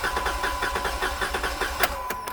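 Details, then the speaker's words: 2017 Jeep Wrangler 3.6L, with a cylinder 2 misfire complaint, cranking during a compression test on the rearmost cylinder: fast, even starter pulses under a beeping chime. The gauge reads about 140 psi. "it goes so as a good amount of cranks the gauge already kind of stopped"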